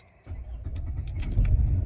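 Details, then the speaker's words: Toyota Harrier after replacing a faulty ignition coil that caused fluctuating rpm and vibration: the engine catches and settles to a steady, even low rumble with stable rpm and no hunting. The fix worked. "ya sekarang stabil dia ada di angka Hai rpm nya udah stabil lagi Alhamdulillah"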